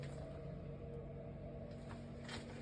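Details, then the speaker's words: Heating substation in a basement: a circulation pump makes a steady low hum with constant tones, carried through the vibrating central heating riser. The hum stops when the pump is switched off and returns when it is switched on. "находим теплоузле что у нас тут насос шумит так насос шумит сейчас вот послушаем как гудит и Давайте выключим насос"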